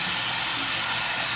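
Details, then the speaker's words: Toilet that won't stop running: unbroken high water hiss as the tank keeps refilling; a part inside has come off and is likely broken, another part also appears to leak; flapper and fill valve to be replaced. "All right, I've got a toilet that won't stop."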